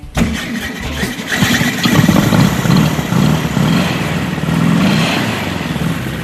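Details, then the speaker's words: Freshly assembled hot rod engine with dual carburetors (carbs way out of sync) on first start: runs unevenly with a scraping grind from the cooling fan blades rubbing inside the shroud, fan to be adjusted. "So, you hear the grinding noise? Yeah. So that is the fan inside the Okay. shroud. It's making a funny noise."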